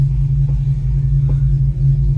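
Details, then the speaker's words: 2006 Dodge Charger Hemi, after replacing the engine wiring harness to cure a cylinder 8 misfire; zero misfires, driving on the road. A steady, deep, even V8 rumble with no misses: normal running. "Man, she sound better already, man. Sound way better. 10 times better already, man."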